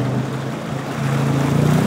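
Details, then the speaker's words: 9.1" Scott two-stage waterjet with an LSA engine in a 22 ft boat, backing hard in reverse during a cavitation test: a deep steady rumble swelling smoothly with no crackling or surging, so no cavitation. "now do a little bit of reverse once again this is tough on a pump to try to back backwards in a hurry because you're throwing Airy ated water back up underneath the intake"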